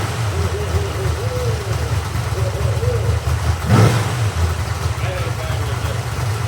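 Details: Freshly rebuilt 1970 Corvette LT1 350 V8 on a test stand, with a rebuilt and tuned Holley 4150 carburetor and Walker Dynamax mufflers. Deep, even idle burble; one throttle blip rises cleanly and drops back smoothly. Running healthy.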